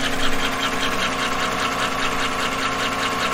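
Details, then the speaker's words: 2014–2015 Chevy pickup L83 V8 at idle, microphone low on driver's side near oil pan: steady sharp tick a few times per second, louder down low but believed from valvetrain; lifter tick suspected, not a collapsed lifter. "now i'm at about an equal distance to what i did to those valve covers and the sound is actually louder down here but i do not believe again that it is down here"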